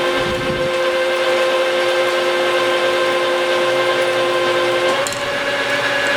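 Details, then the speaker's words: Lathe roughing cut on a new chipping-drum shaft for a Vermeer 1800-A chipper (original shaft broke in three), turning 4 in down to 3 in, feeding about 0.025 per revolution, 50 thousandths a side: coarse, steady scraping squeal like chalk on a board; normal roughing cut. "we're right around 25,000 per revolution in here pretty coarse you can hear it it's almost like a chalkboard"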